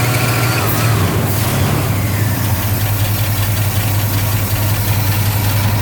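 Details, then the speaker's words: 1965 Pontiac Catalina 2+2 with its reportedly original 421 V8 and just under 100,000 miles, idling: an even idle rumble with a faint, steady thin squeal. A slightly noisy fan belt. "You heard that fan noise. Definitely a little bit of fan belt"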